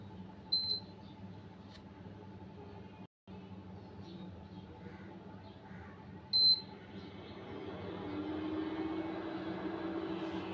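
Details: Electric infrared cooktop switched on: two short high control beeps, then the internal cooling fan spins up into a steady even whir; normal operation, cause of noise on switch-on.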